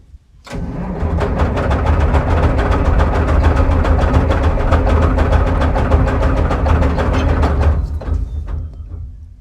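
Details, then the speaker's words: Euclid 74TD dump truck, turbo Cummins diesel, sat for years on a steep hill, after adding 40 L of fuel: steady, rapid cranking for about seven seconds, never catches. Fuel likely not reaching the engine. Cranks, no start. "Not looking good. Give it another try. No, not going to do any good, I don't think."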